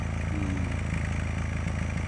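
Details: Nissan X-Trail: lumpy, stumbling idle with shaking and coughing heard at the exhaust, check engine light on; misfire caused by iridium spark plugs past their service life, gone after plug replacement.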